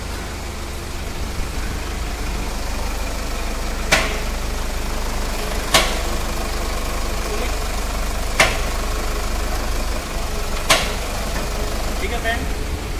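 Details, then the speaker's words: Toyota Fortuner, engine idling, rocked back and forth: sharp single front suspension clunks every two to three seconds; also noisy when braking or steering left or right, after earlier suspension work. "जैसा की आपने south सुना आगे पीछे करने पे हमारा जाता है और किस करण से आवाज ए रहा है"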